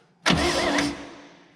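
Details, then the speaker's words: 1965 Chevrolet Bel Air, 230 inline six, sitting 35 years, first attempt via remote starter switch: short, brisk burst of starter cranking spinning the engine freely and evenly, valves moving; starter works normally. "see if the starter works man we haven't messed with a starter in a long time i'm all right with that"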